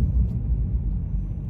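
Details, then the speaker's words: 2006 Dodge Charger R/T while driving, phone near the dash: a recent deep, loud cabin drone that grows louder with speed and stops when the steering wheel is turned slightly left; owner suspects power steering, fluid replaced. "i'm hoping that the phone because it's close to the dash it it catches the just how loud this car is and it's not normal you know it didn't used to do this this is uh a recent thing"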